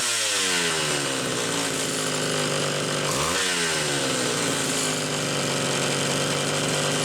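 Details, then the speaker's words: Homelite Super XL two-stroke chainsaw after repair: metering inlet lever spring stretched about a coil and the high-speed jet set slightly rich. A crisp high buzz holds steady, dips briefly and climbs straight back on the throttle with no stumble. Normal running. "so it sounds good got into the carburetor and just stretch the metering Inlet lever spring just a smidge about a coil"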